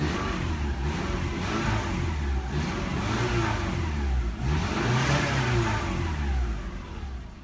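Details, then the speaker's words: Subaru revved after an off-road trail that dented the transmission oil pan and bent the exhaust into the driveshaft; loose irregular rattle over the exhaust note rising with revs, rattle predates the trail, source unknown. "huh there's a little bit of rattling noise there was a rattle noise before but it wasn't rattling looks like a clunky noise but I guess that noise is gone now it's returned by a rattling noise so I still don't know where that noise is coming from"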